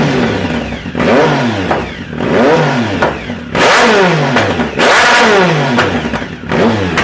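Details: 2010 Triumph Speed Triple SE with new untuned Competition Werkes exhaust, SAI block-offs not installed: repeated throttle blips, each rev falling away with crackles and pops about once a second; exhaust popping on deceleration, cause suspected, not confirmed.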